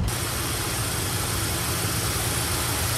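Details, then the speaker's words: GMC 3500 truck warmed up after a road drive, tune finished: steady, even idle with a smooth low rumble and no hunting, throttle response very good; the choke rod is still not connected. "all right so the tune is perfect on it now the throttle response is very good"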